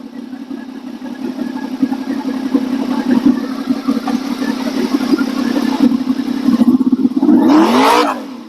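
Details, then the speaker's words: Honda VFR800 V4 on first start with a replacement used engine, fresh oil, filter and coolant, warming up. It idles smoothly, then picks up crisply on several blips with a clean rising exhaust note, no knocks or rattles: normal revving. "She's revving fine. Uh, so that's good."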